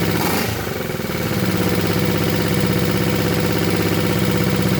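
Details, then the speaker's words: Restored Honda CB350 basket-case motorcycle, first start after about a month, cold idle on choke: light, fast ticking about three per second over the engine beat; pinging thought to come from valves or cam chain, source unconfirmed. "that pinging noise I'm hearing is in the valves or the chain up there or something maybe it'll go away when it gets a little oil pressure built up"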